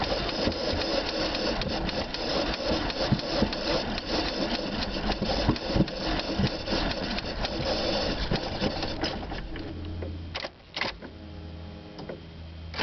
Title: Hard Start 2 3 2010